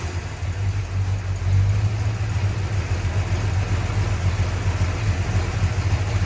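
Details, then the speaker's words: 1965 Chrysler 300 383 V8 after 17 years sitting in California desert, just revived: low lumpy idle with uneven surging and wavering beat; smoke from leaked oil burning off, holed radiator; owner suspects timing slightly off. "But it does run. That's the roughest it's ran though since I'"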